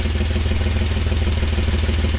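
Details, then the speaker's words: 1988 Toyota Land Cruiser FJ62 idling, microphone under the driver's seat beside a rusted hole in the old exhaust: loud, rapid low chuffing, harsh rasping pulses; exhaust leak, before exhaust replacement. "yeah so i got that basically i'm sitting right next to where the hole in the exhaust is this is right under the driver's seat and it's so loud like you have no idea how loud it is"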